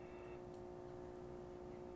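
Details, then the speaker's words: 1970 Hong Kong-made Concerto clock radio with a Telechron clock, both speakers re-soldered: steady fixed-pitch mains hum under quiet audio from the power supply; a failing filter capacitor is likely, and all capacitors are suspected bad. "the hum in the power supply becomes noticeable and [Music] yeah so that then has a question about how about all these in fact i mean we could probably assume that all these capacitors in here are bad"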